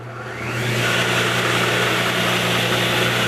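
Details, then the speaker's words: 1977 Craftsman 113-series table saw, first test cut after restoration: motor spins up to a steady hum with a rough, gritty roar; blade left free spinning because a part wasn't tightened enough at reassembly; sounded better once tightened. "That doesn't sound good. Well, we had an issue there. It's free spinning right now. The death wheel. Still spinning. Those bearings, I'm glad I didn't take those bearings out because, guess I just didn't tighten it enough."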